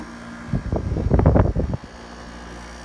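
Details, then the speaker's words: 1989 Panasonic 5000 BTU window air conditioner running out of its case after a few minutes, frost melted off, good charge: steady low compressor hum with the constant rotary buzz, pressures quieted. Normal running. "see all of our initial frost is melted off so running with a good charge yet the pressures quieted down a little bit still has that difficult kind of rotary buzz never goes away"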